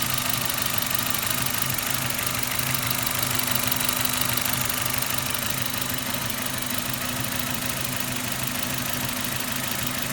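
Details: Suzuki Ignis M13A petrol engine idling with a faint, fairly regular light tapping over the hum; engine knock, cause unclear, needs further checking.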